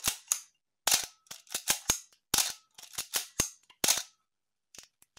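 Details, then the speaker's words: Canon A-1 film camera after a full clean, lubrication and adjustment: crisp, clean snaps, with separate open and close clicks at slow shutter speeds and no squeak or drag; healthy shutter and mirror. "and on lower shutter speeds yeah you can hear it how it sounds this is a nice healthy a1"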